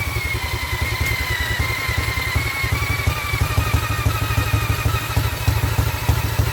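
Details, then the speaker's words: Vintage Douglas engine after 40 years under a hedge, carb jets recleaned, spun with an electric drill, mixture screw adjusted an eighth turn at a time: uneven stumbling firing pulses over cranking whine, catches briefly but won't keep running. "she definitely tried to go there didn't it it definitely ran keep going all right I think this is going to be a temperamental engine"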